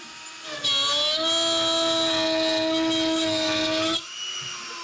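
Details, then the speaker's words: Shapeoko Pro CNC router during feed and speed redline test, passes getting faster: steady high spindle whine with clean even cutting tone, no chatter or bogging, then smooth drop to idle; normal cutting. "As you can see here, it just cuts right through like butter. We don't have any problems with it."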